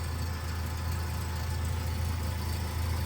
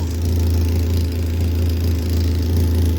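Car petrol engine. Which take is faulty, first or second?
second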